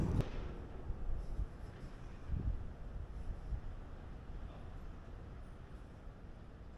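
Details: Peterbilt with a 6NZ diesel, first start after an in-frame overhaul following head gasket failure: brief thump, then a deep, even low rumble with no knocks or misses; idles smoothly.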